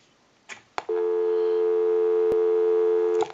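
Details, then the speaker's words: Repaired original-style Mickey Mouse telephone (keypad replaced) final checkout, calling own number: couple of clicks then steady mid-pitched busy tone over two seconds; normal busy signal. "we can hang up we'll give you some doubts on will call my number and it'll be busy"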